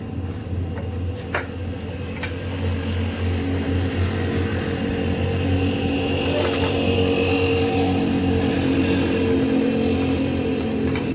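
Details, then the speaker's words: Honda CD70 nearly new engine after children put a foreign object in it, now removed: the small single runs smooth and even, rising slightly in speed with no ticking or metallic rattle. It had been noisy before the object came out. "अब यह निकल गई है कोई आवाज नहीं है पहले आपको आवाज आ रही थी"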